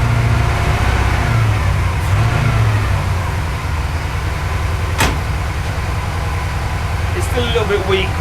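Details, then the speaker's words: Porsche 928 V8 with mixture known to be way off, during mixture adjustment: lumpy, uneven beat, revs wandering instead of settling; misfiring a lot, especially on acceleration; cause not confirmed. "it's still missing though I can hear it I'm so reach out of it so it's missing a lot like when I um accelerate that way"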